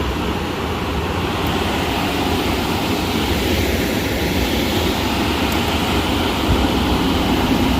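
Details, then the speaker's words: Industrial space heater after burner replacement, fired in local mode bypassing the thermostat: steady, even roar of flame and blower with no pops, rumble or flutter. The burner lit right away and runs normally. "Alright, fired right over."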